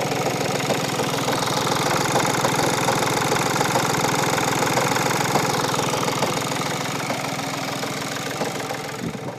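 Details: 2015 VW Polo 1.4 TDI diesel, 30k miles, front crash 3 years earlier: quick clunking rattle at idle shortly after startup, three or four per second, stops when clutch depressed; failed dual mass flywheel, replaced with new clutch.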